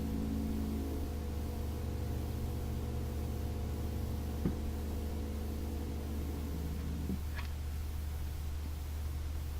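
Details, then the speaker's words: Majestic 5A455 turntable motor after rebuild, on a variac around 90–115 V: quiet steady low hum with faint buzz, no knocks; motor itself barely vibrates but couples into the table, which amplifies it; hum transmitted through mounting table. "making no noise at all when i lift it up but it's vibrating the table slightly and that's acting like a transducer and it's kind of amplifying the noise"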